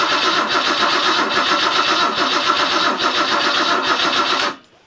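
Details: Ford 200 inline-six cranks at a steady lumpy pace, about four compressions a second, with throttle held wide open after ether in the carburetor, but never catches; it later started once extra jumper cables fed more power to the coil.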